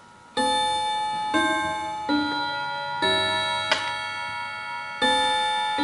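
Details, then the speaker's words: Antique Davison Bros London chiming clock, after catching up by itself from silent mode around 3:00 with no adjustment: clear bell-like chime notes ring one after another in a steady, normal musical sequence. "so you see that everything is caught up I haven't changed anything I haven't updated anything"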